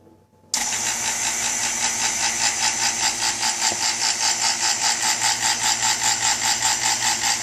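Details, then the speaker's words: New non-name-brand two-stage 3.9 CFM vacuum pump at startup: bursts on loud and harsh with a fast, steady pulsing rattle of about 2.5 beats per second, then quiets down; unusual loud startup noise, cause unknown. "shouldn't even be making that noise that's kind of weird um it's a new pump but I think oh there it goes it's quieting [Applause] down"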